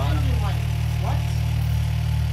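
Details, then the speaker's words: 2016/2017 Chevy Cruze direct-injection engine, first cold start after installing TurboBay big turbo upgrade: smooth even low idle with steady deep hum, no misses, hiss or ticking; sounds fine, no leaks seen, excess stuff burning off. "Alright, let's hear it. Sounds fine, I think. I'm not seeing leaks anywhere."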